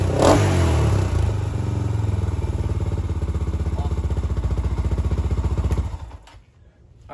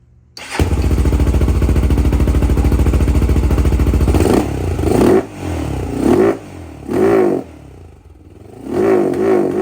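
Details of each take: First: 2007 Honda 400EX single-cylinder after swapping the 155 main jet for a smaller 120 main jet: thumps along evenly and picks up cleanly without bogging, then shuts off; normal running. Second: 2007 Honda 400EX single-cylinder, needle clip moved from third to second position (leaned slightly), original 155 main jet still in: each throttle blip surges and sags instead of climbing; carburetor bogs at full throttle from a too-rich main jet.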